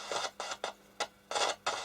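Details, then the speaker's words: Roberts R707 radio working only on FM, run from an external power supply after reassembly: sharp hissing crackles cut in and out in irregular bursts. A loose connection, dirty tuning pot or dirty switches is suspected. "it's not working pretty well but it is working sounds like a dirty tuning pot and fester this thing loose here still so doc still got a loose connection somewhere"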